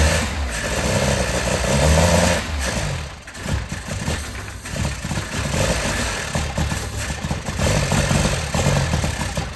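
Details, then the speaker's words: 1980s Toyota Tercel barn find, carb fed fuel directly by gravity with the fuel pump line disconnected: engine catches and runs, blipped up and settling back with some unevenness, no knocking; normal running. "all right so it sounds pretty sweet and good"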